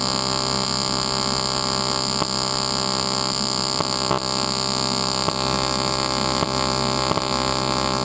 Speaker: all right we're welding the aluminum here and you can hear that sort of growling noise that's just the alternating current and that's exactly what it's supposed to sound like